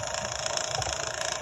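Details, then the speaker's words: A fast, even buzzing rattle over the turntable hum from the worn motor bearing of a 1958 Baird/Emerson Wondergram portable record player running at 33 RPM after extensive repair. "you can hear the motor rattling and that's the motor bearing itself and it's uh it's a little bit noisy"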